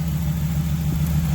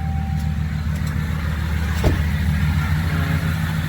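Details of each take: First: 2019 Ram 1500 5.7 eTorque, 51,000 miles: steady, low, even V8 idle with no whine, after replacing the tensioner pulley that had missing bearings and caused the whining/rattling. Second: 2019 Ram 1500 5.7 V8 eTorque, 51,000 miles, idling just after startup: steady droning whine over the rumble, first mistaken for the steering pump; a hose stethoscope traced it to a worn tensioner pulley bearing, which was replaced.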